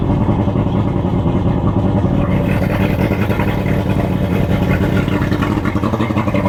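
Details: Boat outboard started during pre-season checks, after the fuel/water separator filter change and a swap from NGK to Champion plugs gapped at 0.030 in: a steady, even run with a firm low drone and no misses, knocks or rattles. It sounds healthy.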